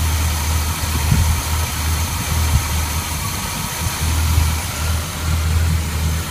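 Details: 1981 Chevrolet K10 V8 with Quadrajet carburetor, after fitting heat dissipator for fuel boiling and new throttle cable for binding, started after long crank with empty fuel bowl: deep even rumble, steady low idle, no misses; normal idle.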